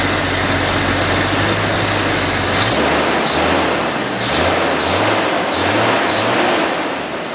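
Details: Jeep XJ after the idle air control valve and throttle body were cleaned to fix stalling, now holding a low, even idle without dying or surging, a few light clicks on top; normal idle.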